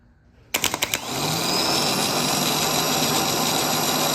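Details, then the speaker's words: Starter removed from a 2008 Ford Ranger 4.0 with a replacement engine, no-start after sitting months, bench tested: a few sharp clacks, then rough, growling whir that spins up unevenly and stops quickly; worn starter, replaced. "It doesn't just spin up. That's pretty growly. And it stops pretty quick. It doesn't sound great."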